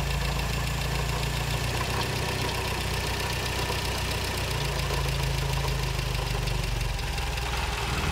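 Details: 1956 Triumph TR3 four-cylinder idling with steady rapid knocking throughout, unchanged in speed; origin of the engine knock not yet known.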